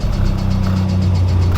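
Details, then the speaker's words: Newly bought Honda project car at first start-up: deep, rough idle with a raspy, throaty exhaust edge; owner also notes a small engine tick. "She a bit raspy."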